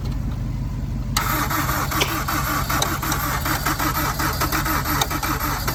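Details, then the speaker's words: Wrecked Honda S2000 with unknown engine, first start on weak battery after hard cranking: engine catches and settles into a choppy, uneven idle with irregular pulses, smoking; rough idle. "Oh, come on. Come on. Come on. We were close. Oh, that sounds a lot better. Oh my gosh, it lives with a bad idle grip."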